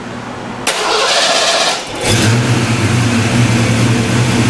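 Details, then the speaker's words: Black Ford Mustang first start after fitting 24 lb injectors and a 73 mm mass air meter: cranks briefly, catches and settles into a steady, slightly lumpy idle with no knocks; normal start. "all right well let's see if this thing starts up and it's actually still holding some fuel pressure"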